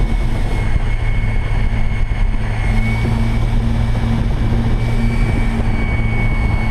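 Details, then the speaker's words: Electric speedboat with 4-bladed prop at about 45-46 km/h, 260 A, 4,200 rpm: loud steady drone with thin high whine over water rush; prop too close to hull causing propeller hull resonance. "it's really kind of uncomfortable this prop is just too close to the hull and it's causing a lot of extra resonance"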